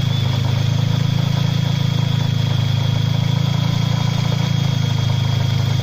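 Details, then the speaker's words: Mercedes SLK 230 Kompressor, M111 engine converted to turbo, at idle: fast steady buzzy rattle like valvetrain or cam adjuster noise, but it stops when the hydraulic belt tensioner is pushed. Worn tensioner damper; fix by replacing the tensioner. "it's a common misconception with these where basically you hear a load of what sounds like valve train noise but it turns out to be this hydraulic tensioner so if I push on that no noise let go of it the noise comes back"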